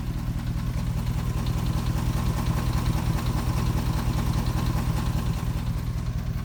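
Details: 2004 Dodge Ram 4.7 with a persistent cylinder 8 misfire: a fast, light, even tick rides over the low idle rumble. It is a valvetrain-type tick whose cause a shop could not pin down.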